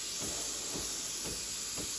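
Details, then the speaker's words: Breville Barista Express BES870 steam wand purging before frothing about 200 ml of milk: strong steady hiss with soft pump pulse about twice a second, steam starting after about 15 seconds; normal steam wand purge. "so turn on turn on the steamer it takes about 15 seconds for the steam to start coming out um so give it a few seconds and when you he a pump pulsating that's when the steam starts usually give it a few more seconds it'll get even stronger"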